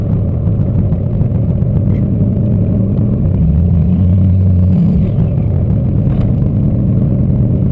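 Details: LQ4 V8 turbo-swapped Ford Ranger after no-start troubleshooting (fault was a disabled DTC code, not the new 2-bar MAP sensor), snowy conditions: deep steady rumble pulling evenly under load, no stumble, misfire or knock; healthy.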